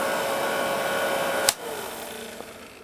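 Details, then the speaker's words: 1946 Victor 40B projector after oiling and freeing the gummed-up mechanism, motor run with the amp off: even mechanical whirr with light gear chatter and a sharp click, then easing off. It sounds rickety from many gears, but this is normal running. "It sounds rickety like I do when I when I get up out of a chair sometimes."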